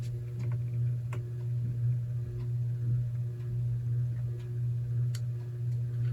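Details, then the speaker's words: 52-inch lighted-housing ceiling fan, believed to be an Encon, on low speed: a steady low hum with a soft tick about once a second as the blades turn slowly, giving a gentle draft; smooth, normal running. "This has a really nice slow low to it, and it actually still is pushing some air."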